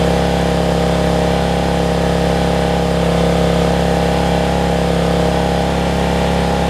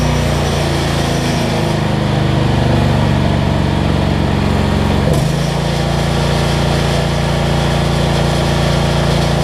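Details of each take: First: Generac 7500EXL generator that shut down after 3-5 seconds, running with the faulty low oil sensor switch unplugged; steady even drone at noticeably high pitch, no hunting, governed speed set too high before throttle speed was slowed down. Engine overspeed. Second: Generac 7500EXL generator that shut down after 3-5 seconds, fixed by unplugging bad low oil switch and slowing throttle speed, under ~1500W heat gun load, needs choke: hunts briefly then settles steady; idle control much better.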